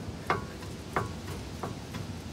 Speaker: in case you're wondering guys this right here is a lower ball joint it's supposed to only pivot watch this